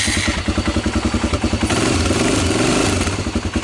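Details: 1996 Honda TRX300EX after reconnecting neutral/reverse interlock switches restored spark: single cylinder thumping steadily about three and a half beats a second, slightly uneven but firing every stroke; running normally.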